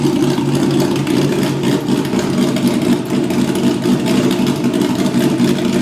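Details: Porsche Boxster with LS3 V8 conversion, first test after removing mufflers and hex pipe system for straight pipes: loud, lumpy idle with throttle blips, deep and raw; healthy engine, sounds like a muscle car.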